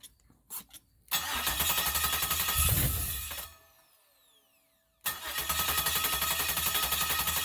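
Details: 1969 Chevrolet Camaro (first gen) original engine, found blown/burning, later LS-swapped: starter-cranked with fuel sprayed into the intake, it catches, runs briefly, dies, then fires again and holds a steady, even run.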